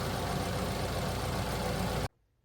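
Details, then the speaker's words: Accident-damaged BMW 528i imported from America, at cold start with the engine completely cold. The idle is steady and even with no ticking, rattle or knocking from the chain or bearings, then stops abruptly; nothing wrong. "And it sounds completely good. No noises. I don't hear any strange noise."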